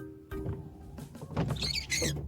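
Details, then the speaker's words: Ford Focus 2 windshield wipers switched on: high, wavering squeaks as they sweep the glass, over background music. "ну то есть вот дворникова надо включаем эти под конец и не скрипят"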